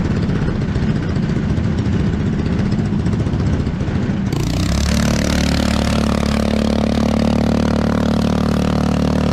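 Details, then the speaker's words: 212cc 6.5hp Honda-clone 4-stroke driving a homemade jet unit in a river: loud, slow single-cylinder thump that never picks up speed, steady drone underneath; bogging under pump load. "sounds like it's struggling well guys real loud and real slow"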